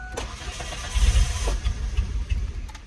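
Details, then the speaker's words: 1993 Ford Ranger 2.3L cold start after sitting overnight, with a new fuel filter and Sea Foam already tried. Long steady cranking never catches unless the key is cycled to build pressure. The owner suspects the fuel pressure regulator is leaking pressure overnight; this is not confirmed. "So I just get that. Unless I cycle the key, build up some pressure, and she'll start right up. So what I'm hoping is that the issue is that fuel pressure regulator."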